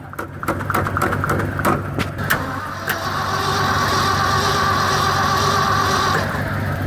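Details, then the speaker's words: Ford F-600 cold start at -22F, cranking with slow, uneven starter chugging, then steady spinning that never catches. Frost on the choke flap, fuel frozen on one side of the tank. Starting fluid sprayed and a rag over the carb throat; fuel starvation. "The fuel in here uh is uh definitely defying gravity right now. It's kind of all frozen on this side of the tank."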